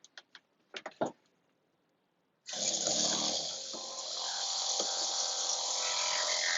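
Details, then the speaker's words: Newly installed pop-up camper water pump with short new line, first test: a few light clicks, then a steady high buzzing whir pushing air out of the lines up to pressure; normal running. "Okay, heard it get up to pressure"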